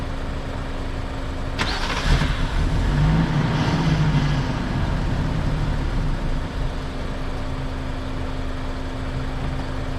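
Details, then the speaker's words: 1JZ-swapped Lexus SC300, day 2 of no-start troubleshooting, idle air control valve cleaned: starter grinds, catches, revs unevenly and sags into shaky idle with fuel smell; owner suspects gunked-up injectors. "Okay, so it's cutting on. You son of a. I think it's the injectors, guys. It's so gunked up, and I can smell the fuel."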